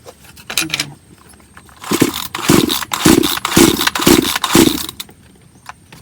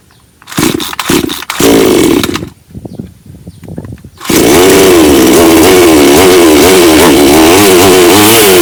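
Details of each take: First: Bonto 5200 chainsaw that won't start: about six pull-cord strokes and it never catches. Compression was checked by hand and fuel is getting through, but the fuel in the tank is suspected stale. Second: Bonto 5200 chainsaw that would not start after long disuse left stale fuel in the tank: a few quick pull-starts, then it catches and revs freely, rising and falling smoothly for five seconds before cutting off; normal running.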